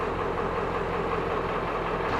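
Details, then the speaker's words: 1996 Ford 7.3 Powerstroke diesel started after replacing a bad glow plug, shop at about 55°F: steady, even diesel clatter at idle with no misses or rough patches; normal idle. "There you go, guys. It's started. It's running. It is fixed."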